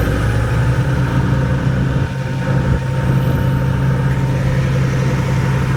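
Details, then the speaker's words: Cat 3306 engine after the misfire repair, running while carrying load: deep, steady low drone with an even firing beat and no stumbles or dropouts; misfire fixed, runs smoothly. "again sounds a lot better so there you go it's running carrying load sounds a lot better that was the problem"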